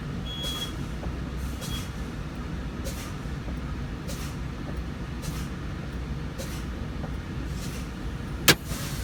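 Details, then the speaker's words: Truck air brake pretrip test, diesel idling while brakes are fanned down: repeated short air hisses about every 1.5 s, then a sharp pop as both parking brake valves pop out at about 25 psi, within 20–45 psi, normal. "right both balance popped out and it is out of a 25 psi therefore it's a good test"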